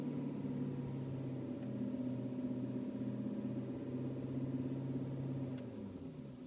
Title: E39 M5 vibration sound at idle